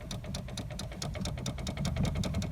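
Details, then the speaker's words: VAZ (Lada) steering column: sharp dry clicks about five a second over a low engine hum as the wheel moves, rattling over small bumps; owner suspects the horn contact ring in the column, not confirmed. "Это здесь идет такая тема, короче, она передает контакты на сигнал, на руль. Вот, и вот эти контакты, они там цикотят, короче."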